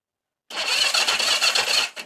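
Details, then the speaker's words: 1982 Yamaha XS250 Special 250cc twin, revived after sitting about a year, battery only trickle-charged: sluggish uneven starter whirr about 1.5 seconds, turning over a little slow; slow cranking from weak battery. "Yeah, a little bit slow."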